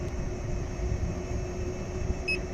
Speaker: I'm getting a beep at 13 M hour so need to figure out why that is